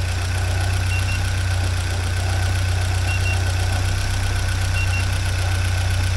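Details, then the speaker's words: 1979 Porsche 924 idling warm after about half an hour of running, after fuel pressure (WUR) work, with fuel pressure holding steady at a low 3.8 for 20 minutes, water 62–63°; a steady, even low hum with no stumbles or knocks; normal idle. "Yeah, it's been going and running for about a half hour now. And it's steady like a rock right there."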